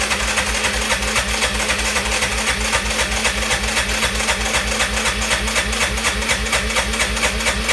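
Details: Arctic Cat ATV cranking: steady rapid chuffing about four beats a second as the engine turns over without catching; a loose flywheel magnet killed ignition, magneto replaced.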